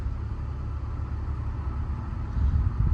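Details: 2001 BMW E46 2.5 automatic wagon at idle after the fix for P0171/P0174 lean and misfire codes. Steady low rumble with an even beat, no hunting, stumbling or hiss. Bank 2 short-term trim swings 0–6.3% while relearning; the idle sounds smooth and healthy.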